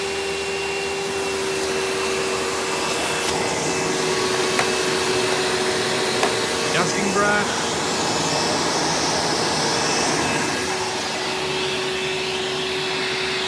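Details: 1997 Hoover Dirt Finder Power Drive U6331-930 self-propelled upright vacuum, direct-air machine, running in tool mode with the onboard hose attached: steady even fan roar and constant high motor tone, no rattles or surging; a smooth, healthy runner.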